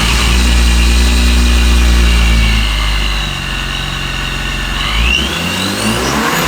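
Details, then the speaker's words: Supercharged BMW, first start after pulley install, pre-cranked with the fuel pump relay pulled to build oil pressure: fresh start settles to an even idle with faint blower whine, no squeal or belt edge noise; belt tracking fine. "We're good. That sounds sick. Dude, that's so sick. That's so weird to hear come from this"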